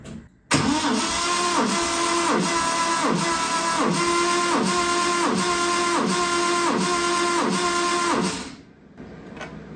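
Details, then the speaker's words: 1970 Triumph TR6 during restoration, compression test with the starter cranking and the battery on a charger. Strong, even cranking pulses. Cylinder one reads 170 psi (165 before charging), which is high and explains the struggling starter; the owner thinks the head was probably shaved. "So 170 even. That's a pretty high compression. So that explains many things."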